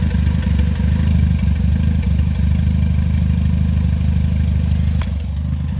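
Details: Third-generation 3S-GTE engine warm idle, problem appearing after warm-up; lumpy, uneven idle with irregular stumbles in the low rumble, misfire of unknown cause.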